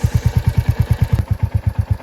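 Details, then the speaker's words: Royal Enfield Hunter 350 single-cylinder at about 3,000 km idles with a sharp regular tick of about seven a second. The timing chain area is suspected; the bike still rides smoothly. "so as you can hear tickles inside here so I've read a lot of articles online and seems like this noise comes from here where there's the timing chain and it looks like there are no solutions for fix this"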